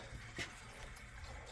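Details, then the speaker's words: Boiler heating system on a call for heat with zone valves calling and circulating: faint gurgling trickle in the pipes from trapped air being pushed around the loop while it vents. "So we're getting a little bit of noise in the pipes. You can hear it because we got some air."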